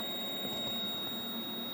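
A steady, unbroken high probe tone with no pulsing on the size-enable pin: that line is stuck, so the 74LS97 is faulty.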